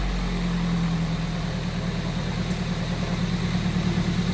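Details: Toyota MR2 Spyder test start right after a new belt was installed: steady, even idle with a smooth low rumble and no belt squeal, chirp or bearing growl. Owner suspects a small intake vacuum leak.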